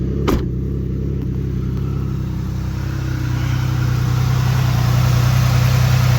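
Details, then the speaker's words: Jeep just started after fixing loose battery terminals, idling: low, fairly regular puffing about three and a half per second underneath. Owner suspects an exhaust leak under the vehicle; also possible misfire noted later. "Don't seem to run too bad. Sounds like we got an exhaust leak somewhere under there."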